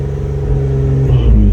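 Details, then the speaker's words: Dodge Journey (tuned), traction control off and unresponsive: engine won't rev past 3,000 rpm, no power at all, not normal for this car; deep rumble wavering and labouring as revs climb, rough running near stalling. "won't even get to three guys now my car don't do that guys like i said that's completely not normal for my car completely there's no power there at all"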